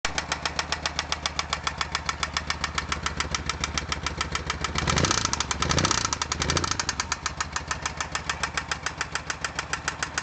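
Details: Oka car small petrol engine with connecting rod knock: sharp steady metallic knock at idle, harsher on sharp throttle openings; rod bearing shells destroyed from insufficient oil pressure, bearing fragments found in oil pickup.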